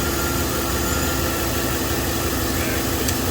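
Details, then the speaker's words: 2012 Chevy Silverado 5.3L V8 with P0300/P0301 codes: uneven, stumbling idle. The cylinder 1 misfire moved with the plug, confirming oil-fouled spark plugs; the engine is burning oil. "yeah we got fouled spark plugs she's burning some oil man all right so clearly we have a plug problem right"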